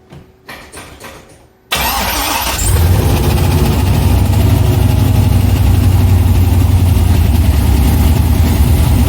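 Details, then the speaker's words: C6 Corvette with junkyard V8 and Terminator X ECU, first start: after some fumbling the engine fires, catches cleanly and settles into a steady even idle with no knocks or misses; normal start. "i didn't expect for it to start like that it sounds pretty good"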